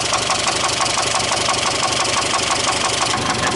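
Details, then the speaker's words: Mitsubishi Galant, warm idle: sharp metallic knock about three per second; it knocked at first start then stopped, and is suspected to be a loose bottom-end bearing, not confirmed. "when he first started it up it had a pretty good knock to it and then it quit so I would guess that it's probably bottom end related"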